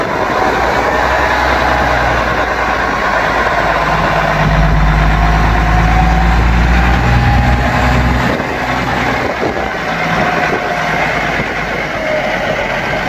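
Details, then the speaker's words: Yard-find Seddon Atkinson 311 classic truck, Cummins diesel, first fire-up before full rebuild: deep, even idle with a low thrum about four beats a second, no knocks or misses; sounds sweet, holds all its fluid, normal idle. "We drove it into the garage. It sounds sweet as a nut and it does hold all its fluid."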